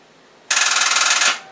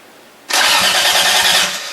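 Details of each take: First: Project car, first crank after wiring, fuel system not yet done; a fast buzzing chatter of clicks under a second with no cranking, starter solenoid chattering, owner suspects low battery voltage and a worn-out battery. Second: Project engine cranking for the first time, battery connected, accessory on, fuel system not yet done: three strong cranking bursts with quick even compression pulses and brisk steady starter speed; normal cranking.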